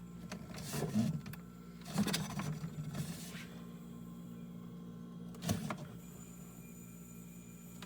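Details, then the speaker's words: Sanyo small refrigerator switched on at 124 V: quiet, steady low hum with soft surges as the compressor runs, builds head pressure and refrigerant flows; normal operation, already cooling. "Go ahead and turn it on. Smooth, of course it works. It's already starting to cool down."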